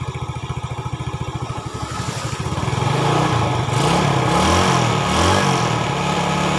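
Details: 2010 Yamaha Vega ZR rebuilt after a clattering top-end noise (bored to +0.50 oversize piston, valves lapped, new valve seals, camshaft): an even single-cylinder putter and clean revs with no knock; healthy.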